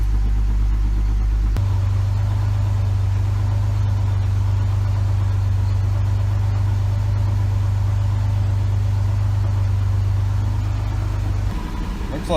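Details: 1980s Pontiac Fiero 2.8L V6 after fan temperature switch replacement, warm idle: even idle, then a low hum steps up as the cooling fan kicks in and drops away about ten seconds later. Normal fan cycling. Coolant temperature readout about 217°F; the dash gauge reads high.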